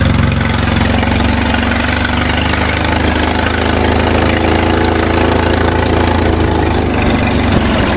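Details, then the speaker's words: Homemade mulching mower with no wheels or handle, with legs to sit on a barrel, started first pull: small single-cylinder engine holding a steady, even beat at constant speed with no surging or misfires; runs smoothly. "again started in one pole runs nice and smooth can't fall off the barrel because it's got those legs on it"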